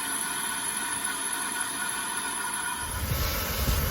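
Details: Dodge Grand Caravan engine idling: a steady high whistle over the engine, a transmission whine attributed to low fluid, located with a stethoscope.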